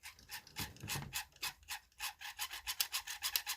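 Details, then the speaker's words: Warmed-up Vivitar AeroView drone motor: a faint, dry squeaky rasp pulses about four times a second. Owner blames this motor; something is rubbing, cause unclear. "oh yeah I'm guessing it's in this motor guys get it good warmed up and it starts to make the noise"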